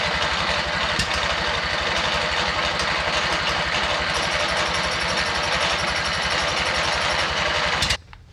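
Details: MTD riding mower twin-cylinder engine, new head gasket on one side, plugs swapped in from another mower, has compression and spark; rough uneven chugging pops about four a second, flooded, never settles into a run; misfire popping.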